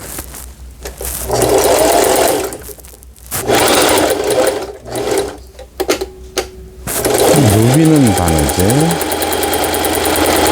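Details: Singer 4432 sewing machine after repair (was noisy from new, parts knocking, overlock stitching failing): running decorative stitch patterns, bursts of quick even needle chatter with smooth motor whir, no grinding or catching; normal running.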